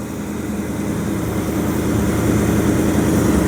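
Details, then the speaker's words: 1929 Chrysler with a 360 V8 and Edelbrock AFB carburetor, after the bent passenger-side metering rod that caused rich running and fouled plugs was straightened: even, steady rumble, idling about 500 rpm higher, with no popping or misses on either side. Normal idle. "So, not getting any missing out of here at all. Just a little bit. They're both about the same. In fact, this side's running a little better."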